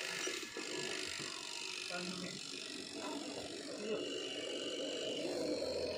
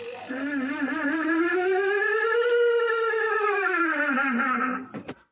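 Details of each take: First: Washing machine spin dryer after oiling the dryer motor seal to cure loud noise: steady even whirr with no scraping; the light ticking comes from the timer knob's mechanism; normal smooth spin. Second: Washing machine spin-dryer: a loud whistling squeal rises in pitch, then sags as the spin slows. The black seal above the spin motor has dried out after long use and rubs; fixed by oiling it.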